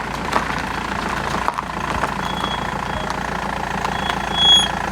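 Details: BMW E91 320d diesel after owner's turbo replacement and crankshaft pulley change: steady, even idle with smooth unbroken clatter, no rumble or uneven beat; the earlier rambling is gone.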